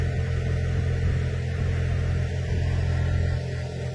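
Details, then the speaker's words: Ford/Lincoln blower motor on bench test drawing 13–14 amps: steady low droning hum with rough uneven undertone; commutator shows a couple of bad segments and bearing barely holding, so the motor needs replacing. "sounds like the bearing just made it i don't want it in it i'm gonna run a little longer here yeah we're pulling like 13 amps"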